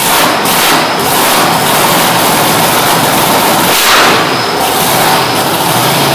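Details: Supercharged V8 in a Road Runner, running after fitting welded fuel tank, magneto, blower, fuel system and headers, with timing and idle fuel set. Loud, lumpy idle with heavy rough exhaust rumble, holding steady without stalling; normal.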